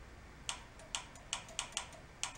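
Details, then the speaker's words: 1968 VW bus engine, rebuilt after 40 years sitting, with no engine running: 12 V applied to the carburetor idle cutoff solenoid (suspect) gives sharp, uneven clicks, about seven in two seconds, showing power reaches it. "there's a idle shutoff solenoid that might be no good usually it clicks for you for power"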